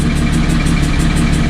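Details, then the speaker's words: Car at idle after an autocross track day, intake already taken apart and checked: steady idle with a rhythmic metallic sucking chatter pulsing about five times a second that did not go away; source unknown, owner suspects the tune. "so let's hope so as you can hear it's not going away um i have no idea what else it could be"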